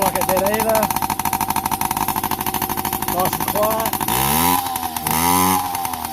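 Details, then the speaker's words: Yamaha PW50 two-stroke, sat 5 years, after returning to cleaned OEM carb and throttle cable, oil pump readjusted, new spark plug, tank drained: starts easier, crisp even idle, clean pickup on blips, less smoke; normal idle. "now put a new spark plug in clean the tank out give it all the clean up so just go a start up and you have a listen starts way easier now got a nice idle"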